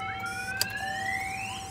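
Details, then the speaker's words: 2013 Chevrolet Silverado with Viper 5706V alarm tripped while armed: thin upward-sweeping electronic chirp over a steady high tone from the two-way remote pager alerting that the alarm is going off; kill switch blocks cranking until disarmed. "got that kill switch you can hear the little pager going off so let's go ahead and disarm our alarm system"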